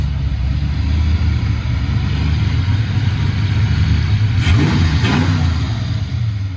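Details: Foxbody Mustang 302 V8 with B303 cam, T5, 3.73 gears, running after sitting since about 2021; deep lumpy burble with two quick throttle blips rising and settling cleanly, owner says it sounds pretty good, normal idle and revving.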